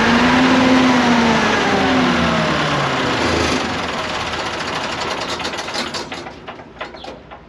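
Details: CAT (Perkins) C4.4 diesel after injector replacement for a crank-no-start caused by too much fuel bypassing the injectors: engine catches and settles into an even, fast-ticking run, about 220 beats a minute, fading smoothly; a clean, healthy start.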